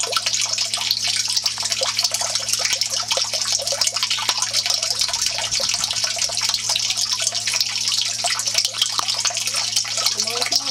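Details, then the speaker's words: Off-grid aquaponics grow bed, 200-gallon tank with 600 lb gravel, bed possibly unlevel: steady rushing, splashing siphon drain with constant hiss, no gurgle yet; starts slow, gurgles when siphon breaks, normal. "It always starts slow. Yeah, it always starts slow. And then when the siphon breaks, you hear it gurgling."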